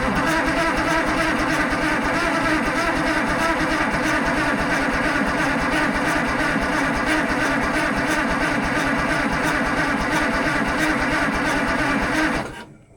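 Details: Allis Chalmers 645B loader diesel: long steady cranking at about three compression pulses a second that never catches; the injection pump control rod is sticking and starving the cylinders.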